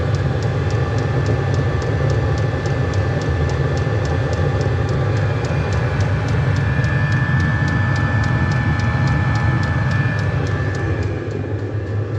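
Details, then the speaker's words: Cheap Chinese diesel heater in a 2006 Nissan Frontier, before sound deadening, glow plug off: steady loud full-speed fan roar like a jet engine with pump ticking about three times a second, about 74 dB; noise echoes in tin box. "fan speeding way up that's like a jet engine taken off it's noisy actually putting up some hot air now [Music] right now around 74 decibels back to camp pretty loud"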